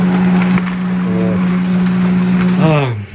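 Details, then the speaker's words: HP 2055 laser printer (same base as HP 2035, Pro 400 and Canon MF 418 / iR 1133) printing very loudly: rough rattling buzzing drone that winds down in pitch as the drive stops. "Он очень громко печатает, прямо грохот стоит. Вот такие звуки он страшно издаёт."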